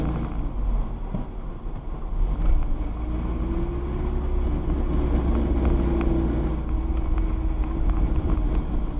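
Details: Manual car coasting off throttle in gear with the clutch engaged: a low grinding growl rises and falls under road rumble and stops when the clutch is pushed in; it went away after the driveshaft center bearing was replaced.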